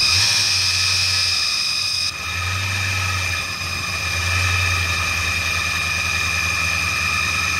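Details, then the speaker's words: 1996 Mustang GT, with fresh gas and brake cleaner sprayed into the intake: it catches and runs unevenly with surging and a high whine, only staying running while being sprayed. "well it's it's only seems like it wants to run when I'm spraying the stuff in it but hopefully it'll get a little better here try it again"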